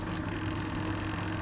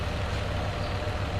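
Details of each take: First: Two-tub 8.5 kg washing machine whose spin tub won't turn: spin motor hums steady and even at normal speed with no load or drag, spinning free without driving the tub. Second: Two-tub 8.5 kg washing machine after repair, with the missing coupling nut on the spin motor shaft replaced by two new nuts: steady low motor hum and an even, smooth spin with no knocking or scraping, so the spin tub runs normally.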